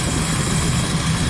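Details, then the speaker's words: Suzuki Cultus three-cylinder petrol car, idle after the carburettor butterfly and power jet were set and vacuum and distributor faults repaired: steady, even low hum with no misses or knocks; healthy, smooth idle. "गाड़ी start है, बिल्कुल ज़बरदस्त sound, किसी किस्म की कोई missing, कोई problem कुछ भी नहीं है।"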